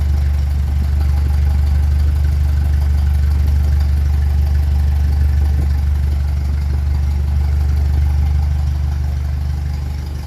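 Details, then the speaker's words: 1957 Ferguson 35 TVO tractor idling after a plate was refitted behind the cylinder head, no proper coil yet: a deep, steady thrum at about three beats per second with no misses or knocks; healthy, smooth idle. "sounds like it's rolling very well now they still haven't managed to get a proper coil first"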